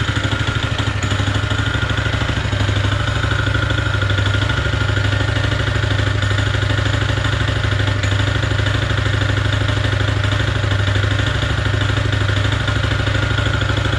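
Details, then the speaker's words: Honda GX160 on a POWER TROWEL M80H concrete trowel running steady with a hard, regular knock under the exhaust note; worn connecting rod big-end, clear crank-to-rod knock, machine not fit to run. "відчути явний цокіт між колінвалом і шатуном. Ця техніка не є дієздатною."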